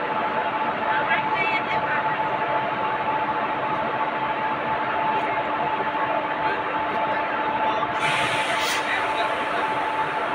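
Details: WAG 5 electric locomotive after starting and pre-checks by the loco pilot: steady electric hum with constant tones and a short high horn blast near the end; running smoothly.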